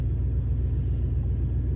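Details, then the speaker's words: With RCA cables swapped, the suspect front pair moved to the subwoofer, the car audio's high-pitched whine from dirty power is gone; only a deep, steady low rumble remains. The one RCA pair needs replacing. "so stuff no high-pitched sound so it's the one set of RCA's I switched them over to the subwoofer because the subwoofer really doesn't matter as long as you have clear front music you know you're okay but there's no high pitch winding there"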